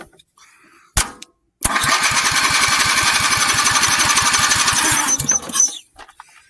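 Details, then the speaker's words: 400 cc engine on a replica build, cranked with a golf cart battery: rapid cranking about four beats a second with loud pops, then dies; popping but not starting yet. "okay let's uh get a little more direct approach here sounded like it almost wanted to start there we go we're getting somewhere"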